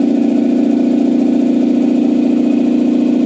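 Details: Campbell Hausfeld 2-cylinder air compressor that only pumped about 5 PSI, after head gasket replacement: test run with quick even pumping thump and steady drone, no knocks or leaks; running normally.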